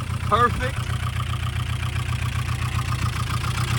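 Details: Barn-find Nissan 240SX, first run after sitting, running on its own with fuel system fine, smoking earlier (possibly seized pulley or belt): rough idle with quick even light ticking; owner suspects noisy top end, cause unknown.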